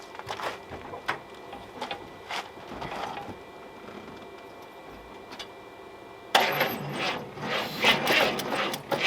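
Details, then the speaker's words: Car with a 350 small block suspected of a main bearing issue, cold start after a couple of weeks sitting in freezing weather: mostly quiet with scattered clicks, then a sudden rough burst of cranking; slow cranking from a weak battery. "And it's cold, so cold start. It's a bit dry. Not a big fan, but it's cold. Need a little help."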